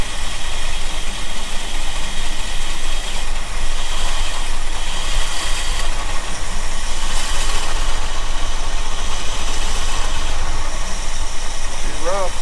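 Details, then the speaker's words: 1975 Ford F350 V8, ex-fire-department truck, unrun for about 20 years. Loud, lumpy idle with an uneven shaky beat under a heavy low rumble; runs very rough, suspected carburetor issue or vacuum leak, not confirmed. "rough huh yeah she doesn't want to come off would it run it does run"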